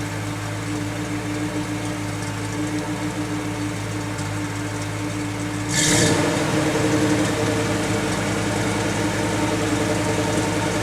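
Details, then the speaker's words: 1991 GMC Jimmy, cold idle. A steady idle that dips abruptly down and comes back up, tending toward stalling; the stalling usually only happens once warm. Unstable idle. "But she just idled down. Down and came back up. We're going to have a stall issue here."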